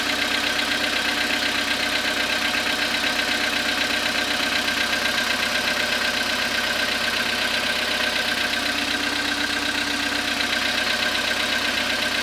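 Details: Cold start after overnight stand at −0.5 °C, 27,630 km, on a 2014 Skoda Rapid 1.6 CFNA: steady light internal tapping about four a second rides over the cold idle and stays put, an engine knock.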